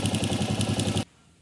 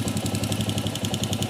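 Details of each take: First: Honda CG 125 single idling with a sharp clatter of about eight knocks per second, getting louder with revs, which the customer took for valve noise. Pressing the rocker arms with a screwdriver stops it, showing rocker arm side play; the fix is replacing the internal washers. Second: Honda CG 125 single-cylinder idling while the rocker arms are held with a screwdriver: steady even beat of about 220 pulses a minute, no knock; noise stops, showing it is internal play needing new washers, not valves.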